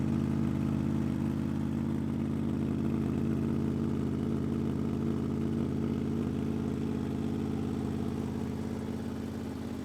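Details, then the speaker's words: 2005 Honda VFR800 V4 with gutted exhaust, cold start in sub-zero temperatures after 10 days parked outside in snow, no battery charger: fires right away into a deep, even rumbling idle with steady pulses, no knocks or misses, smoking; healthy cold idle. "She starts right away, and you can hear the lovely rumble from the V4 engine and the gutted exhaust."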